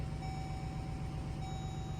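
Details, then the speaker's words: GMC Sierra (GMT800) V8 pickup, 66k original miles, at 12°F, just after replacing fuel injectors and bleeding the fuel system: low even idle with a faint steady electronic tone, no stumbling; a possible exhaust leak is suspected; normal idle. "But it's idling smooth. Whoa! Did we just fix a $500 truck with $40 injectors? Yes, we did."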